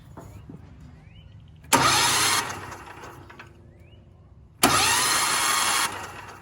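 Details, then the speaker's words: Cheap Valsi generator bought used, oil at OK mark: two short bursts of steady starter whirring, no firing, engine spinning freely; starter and its electrical system verified working, normal cranking. "So we just verified that the electrical system to the starter and everything works."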